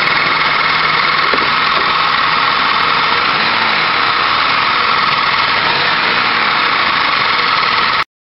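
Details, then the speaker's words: 2002 Buick LeSabre Custom, 3.8L 3800 Series II V6, about 87,250 miles, oil recently changed, no antifreeze in oil: light, quick, uneven ticking at roughly three per second over a steady idle; engine ticking at idle, cause unknown. "all right 2002 buickly saber custom 3.8 liter v6 with 87 000 miles on it got a little bit of an engine problem here hopefully you can hear that ticking sound"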